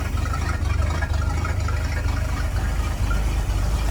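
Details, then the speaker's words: Engine with milky residue, crankcase vents unplugged as it shot water into the carburetor; suspected crack: deep, even low rumble, steady beat, no knocking or misses; sounds normal. "Sounds pretty good, I must say. So I'm working with some real good bones."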